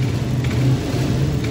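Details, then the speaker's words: Suzuki Address scooter that stalled when hot with light kickstart from compression loss, after repairing leaking valve and reassembly: short, even single-cylinder running, no stumbling or ticking; now normal. "Oke, motor sudah bisa hidup. Motor sudah normal ya."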